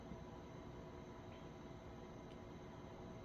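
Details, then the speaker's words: PC rebuilt with ASUS ROG STRIX X670E-I Gaming WiFi motherboard and AMD Ryzen 9 9900X after the original board was damaged: steady airy fan whoosh at first power-on, no rattle, grinding or whine, fans quieting once booting; normal startup fan noise. "and then once it's actually booting they go quiet so let's see"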